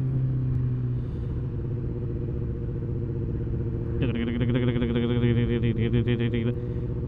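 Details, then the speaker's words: Motorcycle riding on the road: raspy, fluttering buzz for a couple of seconds over the engine drone, attributed to a loose bolt on the dash holding the windscreen. "you hear that buzzing it's this little bolt here there's a bolt loose on my Dash on holding the wind screen"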